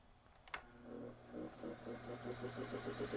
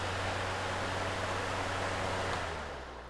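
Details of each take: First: Lasko PN020350 floor fan that hardly spins: a switch click, then a low motor hum with a rough pulsing grind that stops almost at once, from a binding shaft, in a 65.5° workshop. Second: Lasko PN020350 floor fan after repair and maintenance (was noisy and hardly spinning; roll pin refitted), powered on at high speed: smooth, steady airy rush with an even low hum, no rattle or squeal; fan runs cleanly.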